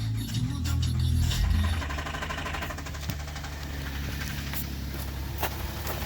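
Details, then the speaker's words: Traverse engine with a light motor knock, reportedly jumped by a previous driver, running on old oil; it fires up with a fairly steady light tapping about four times a second over idle. The knock is said to lessen as it warms. "up so yeah it's got a knot kind of lessens up when it warms up a little bit"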